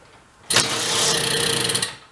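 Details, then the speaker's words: 1969 (owner believes) Benelli Buzzer mini bike, about 53 years old, formerly locked-up two-stroke, first run on dribble of fuel; catches and buzzes high and fairly even about 1.5 seconds before dying, runs normally. "yeah she'll live quiet too huh awesome"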